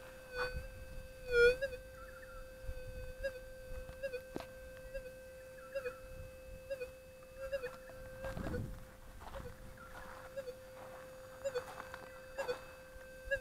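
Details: Whites SPP metal detector, gain on factory preset, ground balanced: a steady mid-pitched hum broken every second or so by brief warbles and dropouts, a threshold hiccup of unknown cause that cannot be removed.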